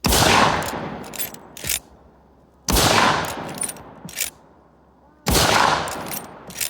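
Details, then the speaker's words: Miroku Winchester 1886 lever-action in 45-70 Government, after the rebound firing pin was modified and the rebound hammer repaired to cure misfires. Three sharp full-power shots about 2.5 seconds apart with lever cycling, all firing: normal firing, no misfires. "This one too, I had to modify the firing pin a little bit, make it work better, and uh fix the rebound hammer [ __ ] And it's been firing flawlessly."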